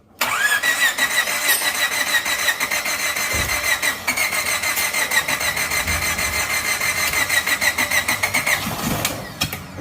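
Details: Suzuki Jimny (Katana) engine, first start after full rebuild returned to stock: short crank, fires and holds steady idle with light even patter, no knocking; healthy start and idle.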